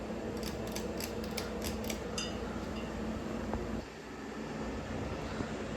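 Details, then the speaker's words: 1994 Hunter Comfort Breeze ceiling fan, model 23410 Type B, 120 V 60 Hz 0.85 A, starting on low: a few light clinks then quiet steady low hum, no rubbing, wobble or ticking; smooth low speed, capacitor broken affecting medium. "This fan has a really nice low speed."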